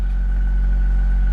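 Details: 1994 Acura Integra bought at auction, a crankless no-start, now starting and idling after the fuel pump was put in; steady, even low idle with a faint constant hum, no knocks or misses, sounding healthy.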